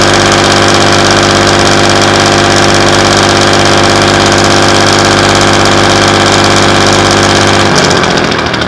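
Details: Class 117 DMU 51412 diesel, first start in 5 years after bleeding fuel air via the hand lift pump: steady, even clatter at slow idle around 500 rpm, fading near the end; healthy, smooth-running.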